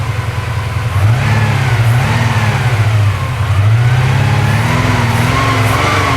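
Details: Porsche 928 V8 during idle mixture and timing adjustment, after misfiring: a fast idle of roughly 1100–1200 rpm (tach not working), with a few blips, now smooth with no misfire; an exhaust bracket still rattles.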